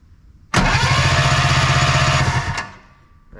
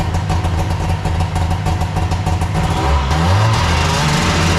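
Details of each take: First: Arctic Cat Puma Deluxe 340 snowmobile, sat about 10 years, plugs out: two seconds of even cranking at about four turns a second, no firing; no spark. Coil primary measured 0.8 ohms, suspected faulty. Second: Arctic Cat Puma Deluxe 340 two-stroke snowmobile after cleaning and refitting the carb enricher plunger and cable: a brief rev blip settles into a steady, even idle with no misses or knocks; normal idle.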